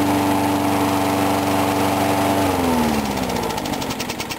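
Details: Briggs & Stratton mower engine cold-started at 35°F after long sitting, water suspected in the gas; started first pull. Steady, even running at fast constant speed, easing slightly near the end; sounds healthy, normal running.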